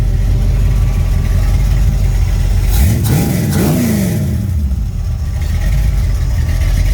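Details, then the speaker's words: Freshly rebuilt Mopar 360 V8 (8.7:1, Summit 1789 cam .454 lift 272 duration, Edelbrock Performer, Quick Fuel 750 carb, Summit headers and 3-inch mufflers) during cam break-in, idling 657 rpm, 61 degrees, 70 psi oil: lumpy, even burble with a brief rev; normal idle. "it's not a real radical cam, but it still sounds pretty darn good, I think."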